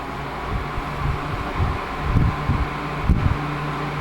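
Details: 1980s Sanyo Turbine rotator box fan after cleaning, oiling and switch repair, on medium speed: steady low whir with soft airy rush and a few light thumps, even speed; runs fairly quietly, normal running.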